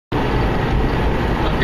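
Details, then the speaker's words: 2005 Subaru driving on the road: a steady low rump-rump rumble under the road noise from a worn rear wheel bearing, getting worse and better at times; the bearing is to be replaced by pressing in a new one. "driving down the road. You can sort of hear a rump, rump, rump, rump. That's a rear wheel bearing, 2005 Subaru."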